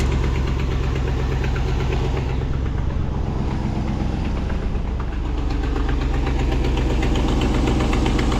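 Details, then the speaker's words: 2016 Ram pickup at idle; a light quick tick rides over the low rumble, about four per second, and is getting worse; owner assumes a leaking exhaust manifold gasket, truck going to a mechanic. "that noise is just getting worse that gasket which I assume is an exhaust manifold gasket is getting worse"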